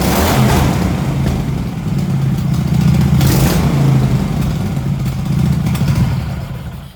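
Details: MX-1 racing mower engine with new 34 mm performance carburetor and new fuel pump and filter: fine when throttled slowly, but revs sag and labour at full throttle. Lean, not enough fuel for the air; may need a different jet.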